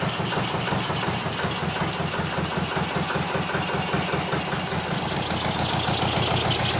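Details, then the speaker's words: Zetor 25 two-cylinder diesel tractor, first start after full engine rebuild, running without exhaust manifold: loud open chugging at about two and a half beats per second, both cylinders firing evenly, sparks and black smoke from the cylinders; normal idle. ", the engine is running on two cylinders , it's hot gas. first start. Absolutely amazing feeling."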